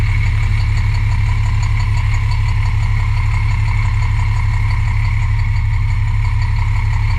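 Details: MCI D4000 motorcoach with Cummins diesel at idle, heavy deep rumble with a fast dull knock on each crank turn; knocking badly, suspected rod knock.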